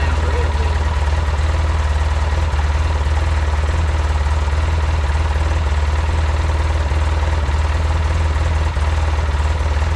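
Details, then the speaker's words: Polaris Ranger 800 twin after full engine rebuild, fuel pump and power steering repairs, idling: steady even low rumble with regular beat, no knocks or misses; idling fine and healthy. "Not too much. What's going on is got it idling fine."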